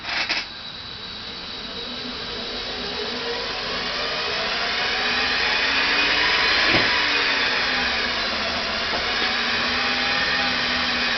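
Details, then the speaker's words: Rebuilt NetGain WarP 9 DC motor with new National T300 brushes being seated, idled by an EVNetics Soliton1 controller after about 40 hours of running. Smooth, steady hum with an even high whine, idle holding 950–1000 rpm with slight fluctuation, drawing 33–48 A at 6–7 V. Normal idle. "as you can see the throttle is or the idle rather is holding 950 to 1000 somewhere in that range again it kind of fluctuates"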